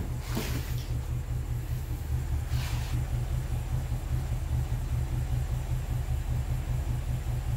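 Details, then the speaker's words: BMW N62 V8 with random multi-cylinder misfire, before repair, all cylinders misfiring except a couple, knocking and shaking: deep idle rumble with an uneven, stumbling beat of about two pulses a second; rough idle. "I'll show you how it was running before like this misfire the old cylinders except a couple of them and everything it shapes it's even swing even more"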